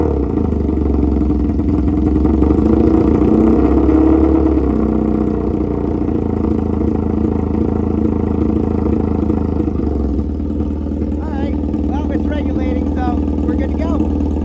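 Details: 1982 Honda Magna V45 VF750C V4, cold start without choke; settles into a firm, even idle and revs up smoothly, with a louder, raspier exhaust note. Otherwise healthy.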